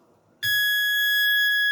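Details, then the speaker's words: E Vader electric bike on Sabvoton 100 A controller, replaced wheel; clean high whine at one pitch with barely any throttle, all it will do; cause unknown, motor dislikes both Sabvoton controllers, fine on stock wheel. "folks that's barely any throttle you hear that that's all that thing wants to do on the 100"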